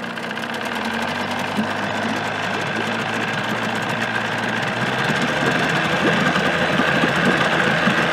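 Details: 1979 Evinrude 35hp two-stroke outboard running under its hood with sound-deadening insulation, about 83 dB nearby: a steady, even drone rising slightly as it is revved, with no knocks or misses; quiet enough to talk over, healthy.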